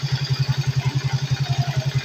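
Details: Suzuki Smash 110 single-cylinder engine that would not start, idling after cleaning and gasket-maker repair: steady, even exhaust thumps at roughly ten a second with no skips or stumbles. A normal, clean idle.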